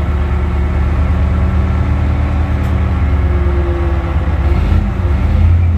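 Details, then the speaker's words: Tadano mobile crane diesel, hydraulics weak, main relief valve cleaned and adjusted: steady low drone that never labours as the hydraulics work, so the pump isn't loading the engine; pump fault suspected, unconfirmed. "Oops, it turns out that the hydraulic pump didn't fight, my friends, it's a little hot, the hydraulic pump for the relief valve has been opened."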